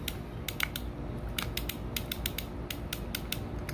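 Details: Penn spinning reel gear train during repair, oiled with green grade oil and turning through its gear: light, quick ratchet clicks as the gear spins freely, with no grinding or binding; normal gear rotation.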